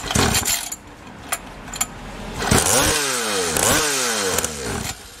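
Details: SYX MOTO Holeshot 50cc two-stroke after carb replacement, idle screw being set: crisp buzz rising and falling through quick throttle blips, picking up cleanly. Runs strongly.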